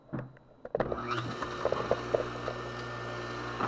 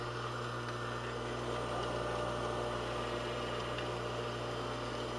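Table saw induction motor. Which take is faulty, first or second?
second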